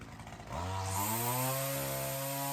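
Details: Weedeater two-stroke trimmer engine fitted with a new HiPA carb in place of the old one: snaps up crisply to a high, steady scream without bogging; sounds much healthier, with more throat than the old carburetor.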